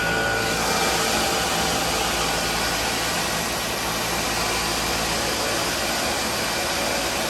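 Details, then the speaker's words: MEI hydraulic elevator machine room, pump running with two hydraulic jacks: steady pump drone with constant frothy hiss; air in the oil tank, pump aerating. "You hear the air in that oil tank. It's pretty funny."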